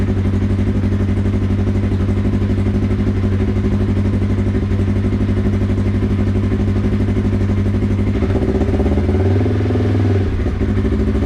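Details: Polaris RZR 1000XP first startup after fitting new Flowmaster XDR dual exhaust: loud steady throaty idle with deep pulsing exhaust note rising briefly with a throttle blip, clean and even; normal cold start and revving.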